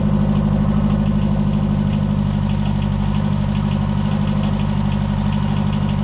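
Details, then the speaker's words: Mark II Ford Fiesta XR2 idling on the driveway after refitting the rebuilt Weber 28/32 TLDM carburettor and fixing the anti-run-on solenoid wiring: steady, smooth low hum, no dips or stumbles, no cutting out; carb still needs tuning. "don't get me wrong the car doesn't run perfectly but um the carburetor definitely needs to be tuned"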